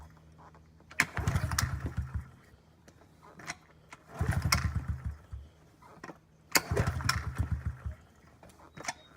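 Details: 2009 Honda CRF50F pit bike not started in 2 years, kickstarted with choke on: three kicks each catch briefly with rough, uneven firing then die; flooded from leaving the choke on too long.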